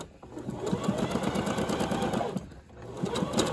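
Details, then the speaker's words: Singer Heavy Duty sewing machine deliberately unthreaded: fast stitching clatter with strained, uneven chatter creeping in; machine labouring, stop pedal and rethread from top. "ah did you hear that that's the machine saying hey i don't like that the first sign you hear that take your foot off the pedal don't push through you're gonna make it worse"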